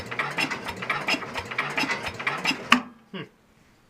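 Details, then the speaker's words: Second Super 12 hydrostatic tractor, cold start, no spark found: starter turns slowly with labored uneven beats about three per second then stops without firing; slow cranking, battery suspected dead, fuel possibly low. "But it'll start if I keep turning right. See? Sounds like the battery's dead."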